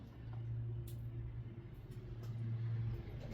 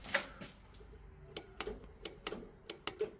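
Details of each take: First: Classic Mini: quiet, then a strong even starter churn for about two and a half seconds; a missing engine earth strap was found as the cause of no-crank. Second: Classic Mini under restoration: with ignition on, the relay now gives sharp dry clicks, about seven in three seconds, often paired, but the starter motor does not turn; clicking is new progress in tracing the fault.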